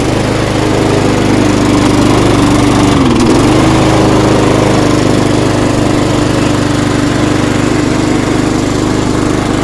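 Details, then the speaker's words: Mountfield SP470/SP454 self-propelled petrol lawnmower after valve clearance set, grass cleaned off engine and idle spring sorted: steady, even single-cylinder drone at constant speed with only a brief dip, no misses or knocks; running healthy. "It's a SP470, which is SP454 self-propelled Mountfield petrol lawnmower. I'm going to start it up and let you hear it."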